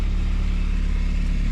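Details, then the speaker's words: 2002 Saab 9-3 convertible at idle after readjusting the clamp on a leaking exhaust: smooth steady low drone with no rattle, only a slight leak left at a crack in the clamp; may start rattling again when driven. "So hopefully that lasts a little longer. Sounds much better. Doesn't sound so rattly, right?"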